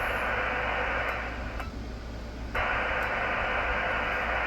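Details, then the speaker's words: Kenwood TS-430S ham radio: steady receiver hiss suddenly drops to near silence for about a second, then snaps back, caused by dirty relays, a common problem on these radios. "It's got dirty relays. See, it's quiet. That's the relays."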